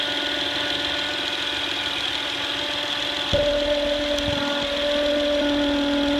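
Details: 2008 Honda Accord EX-L V6 alternator: steady whine at idle holding one pitch, shifting slightly as load changes; a bad alternator diode causes the noise.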